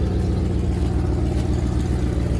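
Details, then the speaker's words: 1998 Chevy 3500 Express passenger van 5.7L, cranked and idling: steady low V8 idle with a faint puffing tick, a small exhaust leak. "Come on, come on, come on. What are you doing? Got a little exhaust leak."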